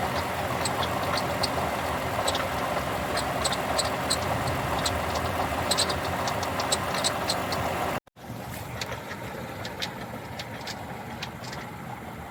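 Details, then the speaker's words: 2007 Lexus RX350 engine bay: loose uneven rattling clatter about three per second over idle; shop diagnosed leaking water pump making the rattle, replacement recommended. "The water pump is leaking coolant, making a rattling noise. Recommend replacement. The water pump is causing the noise from the engine bay."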